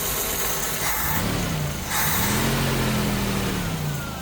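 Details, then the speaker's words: Jeep YJ after new fuel hoses, filter, fuel pressure regulator set about 4.5, plugs and wires, cold warming up: steady even idle settling as choke opens, no misses, knocks or hunting; earlier stumbling gone, no leaks; normal idle. "Alright, no leaks are spotted. Sounds pretty good actually. Choke's opening nicely."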